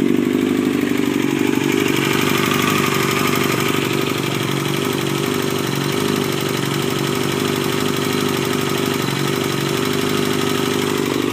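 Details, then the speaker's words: 2000 Yamaha R6 warm at idle, first run after repairs: fairly steady idle with uneven metallic chatter over the engine beat, about three pulses a second; abnormal noise, source unclear. "my 2000 Yamaha R six it just wrote it for the first time after fixing it got a few things I want you guys to hear so still warm to our idle set right now"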